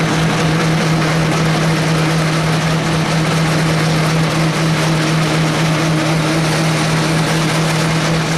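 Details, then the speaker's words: Logan 10-inch lathe with 14-inch quick-change gearbox, 1.25-inch workpiece at very slow speed in low range on a fine cut, gibs loose; steady low buzzing drone with gritty edge, chatter from the workpiece sticking too far out of the lathe. "That noise is chatter, and that's because it's sticking so far out of the end of the lathe."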